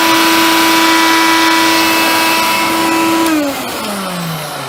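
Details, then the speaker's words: Hoover Convertible/Dial-A-Matic U1124A upright vacuum after quick fix, turning better after flushing dirt out, suction tested; strong steady whine holding pitch, then smooth spin-down at switch-off. Normal running. "yeah well that turns a bit better now as well mister flush some dirt out it's tested suction"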